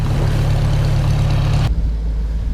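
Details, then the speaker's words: Farmall M tractor petrol engine idling with a steady, even low thump and no misses, after drying out snow-wet distributor parts that had caused a rough idle; running good again. "well that did the trek it's running good again now he can move some snow"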